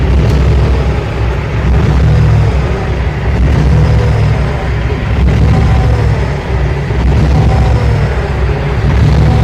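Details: 2005 International 9400 with Cummins ISX diesel, very rough lumpy idle swelling and sagging every couple of seconds; warped lift pump mounting plate let air into the fuel system.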